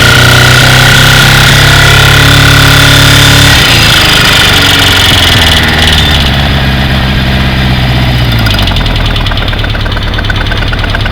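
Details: Kawasaki GPZ550 motorcycle after head gasket replacement and rocker timing adjustment: fast sharp clacking/ticking over the exhaust, more noticeable at high rpm; cam chain appears tight, so owner doubts the tensioner; cause unknown.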